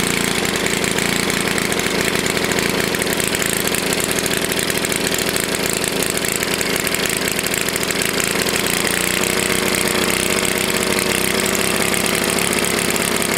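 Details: Tecumseh HS40 small engine, long unused, on a restart after carb work; a loose ball was leaking and the screw was set about 1.5 turns out. It hammers flat out at fixed high speed and never drops to idle: stuck throttle plate.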